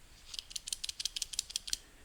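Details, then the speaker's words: Bearing from a 2002 Honda Odyssey automatic transmission rebuild, spun by hand: loose, uneven dry metallic clicks about seven a second, bottom part sounds loose; worn bearing. "really loose this sounds okay you can hear that the bottom part sounds kind of loose but I think that's normal for some reason"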